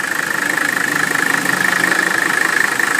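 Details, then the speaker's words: 1981 Mercedes-Benz W126 300SD, restored OM617.951 turbo diesel: smooth even idle clatter with steady faint whistle, no rattling, clanking or squealing; healthy engine. "there you go the engine sounds like it should there are no rattling sounds no clanking sounds"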